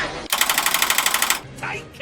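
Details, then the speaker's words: John Deere 9600 combine, key turned: about a second of rapid machine-gun clatter, roughly sixteen clicks a second, with no cranking. Bad starter chatter, to check before replacing the starter. "so you can really hear what a bad starter sounds like"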